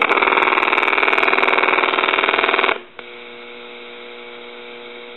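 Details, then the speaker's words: Harris TS22 lineman's buttset switched to monitor position, low or high amplification: an incoming call produces a warbling ring pulsing about four times a second for nearly three seconds, then steady line hum; rings normally. "you can put it on lower high in the monitor uh position on the switch here and if you get a call that's coming in you want somebody to ring the line while you're working on the line you'll be able to hear [Applause] it"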